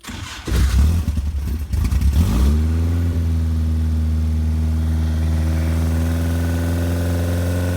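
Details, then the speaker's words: 1968 Morgan Plus 4 with Weber carburetor and Fireball XR 2000 ignition, cold start after sitting since yesterday: electric fuel pump ticks, two accelerator stabs, cranks, catches with throttle blips, then settles into a steady, even, throaty idle; normal cold start. "Okay, so we're going to do just a cold start. It hadn't been started since yesterday, so maybe you can hear the electric fuel pump ticking away."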